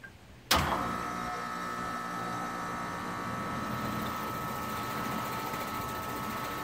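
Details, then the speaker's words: Home central A/C compressor after installing 5-2-1 hard start capacitor on 220V supply: sharp start then steady fixed-tone hum, no struggling, clicking or retries; no noticeable difference from before; normal compressor startup. "so i don't think i notice the difference between the start uh of the capacitor after adding the new hard start capacitor in there"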